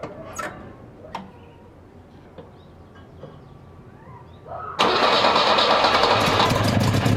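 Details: 1966 Volvo 122S Amazon with worsening cold-start problems, after basic maintenance fixes: a few faint clicks, then after about five seconds catches and runs loud and somewhat ragged; hard starting and rough running, cause unknown.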